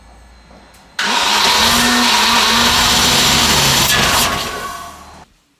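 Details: Range Rover Classic barn find, sitting about 10–13 years, new spark plugs fitted, fuel in rail but injector firing unconfirmed: cranking turns into a rough, uneven roar that almost runs about four seconds, then dies; nearly starts, cause unconfirmed.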